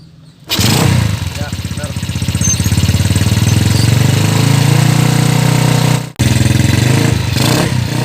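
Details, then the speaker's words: Yamaha Jupiter Z after new cylinder block fitted, tensioner, carburetor, oil and exhaust installed, no air filter, first start: catches right away, quick even single-cylinder putter, no smoke, knock or misfire; normal idle, carb air still to adjust. "oh nah duduk diatas juga bagus ya ke untuk asap ke tidak ada lagi ya teman-temannya Memang sebelumnya motor ini sangat 20 sekali langsung ya temannya bagus hidupnya langsung Bagus ya"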